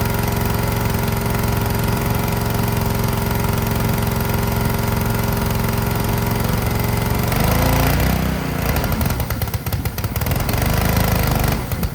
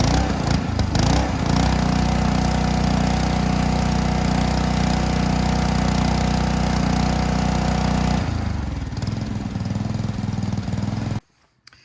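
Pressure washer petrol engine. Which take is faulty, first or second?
first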